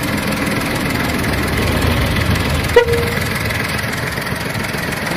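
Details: VW Polo 7 engine at idle: steady idle with a faint irregular tapping about twice a second over the engine hum; abnormal noise present, source unclear.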